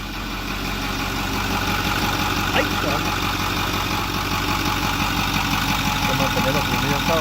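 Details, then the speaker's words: 2008 Ford F250 6.4L turbo diesel after replacing failing electric diesel lift pump (P2291, died when hot) and purging air; steady even idle clatter, no stumbling or hunting: normal idle. "Me voy a dar marcha de una vez a ver si con eso es suficiente. Ahí prendió. Ya después de purgar el sistema."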